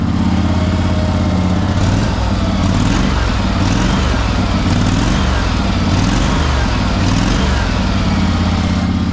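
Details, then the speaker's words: Cheap used riding lawnmower's small single-cylinder engine, long stored with old fuel, warmed up after an easy start: a steady, even putt at constant speed with no knocks or misses. Normal running. "oh yeah there you have a guy she's running i can't believe that she started that easy i thought it's going to be a pain in the ass"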